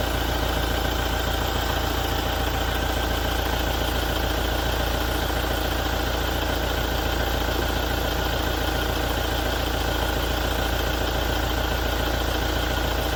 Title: 2017 Toyota Diesel engine noise issue after major service - engine knocking and rattling